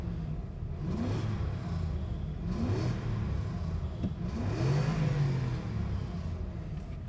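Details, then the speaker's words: Nissan Cima Y33 V8 with stock exhaust, warmed up: deep V8 rising and falling through three blips with a slightly rough, raspy edge; owner unsure whether it's the natural sound or a possible exhaust leak. "Even in its stock form, you can definitely hear the V8. It's a wee bit raspy. I don't know if that's the sound itself or if there's a bit of an exhaust leak somewhere."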